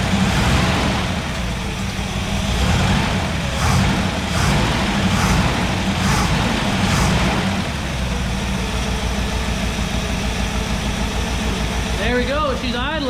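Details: 1963 Chevrolet Impala SS V8 first start after sitting 35+ years since the 1980s: steady, even idle with a smooth low rumble and no knocks or misses; normal idle.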